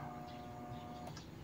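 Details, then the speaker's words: Fairly new electric fan that only hums and won't spin: steady electrical hum with no blade rotation. Suspected shaft bushing; the capacitor tested very low. "na lang siya kung pakikinggan niyo ayaw na siyang umiikot"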